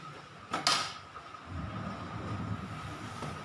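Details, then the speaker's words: Yamaha Vixion sport motorcycle, steering head (komstir) adjusted by tightening about half a turn; front end rocked gives two sharp clunks, bearing still loose, so tightened another quarter turn. "ini masih bunyi takluk kita Kencangkan lagi sekitar ya seperempat putaran"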